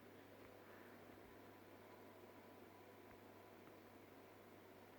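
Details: Fluval FX6 canister filter running quietly after foam was installed underneath to eliminate vibration noise: soft, steady low hum with a faint airy hiss, normal quiet running.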